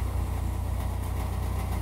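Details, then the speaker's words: Chevrolet Equinox with seven-year-old GM exhaust, before repair: low rough idle drone with a raspy flutter on each exhaust pulse; exhaust leak from split resonator muffler seam, replaced with a two-chamber muffler. "apparently this is what a seven-year-old gm muffler sounds like let's see if we can do better"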